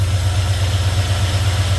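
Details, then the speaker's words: Ford truck, 34,000 miles, idling after PCV valve replacement cured its tick; rubber grommet may also need replacing: smooth, even idle with steady low pulse and no clicking left; noise gone. "I think we're going to need to get the actual rubber grommet as well. I think part of that is assisting it, but noise is gone. Sounds good."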